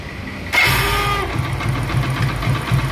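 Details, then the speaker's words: Hero Plus motorcycle, self-start pressed: engine starts fine but a harsh whirring grind accompanies starter engagement on about 90% of starts, then rough uneven firing; worn starter motor bearing. "ना start तो हो रही है उसमें कोई problem नहीं है लेकिन जो साउंड आ रही है ना व वो सुनो"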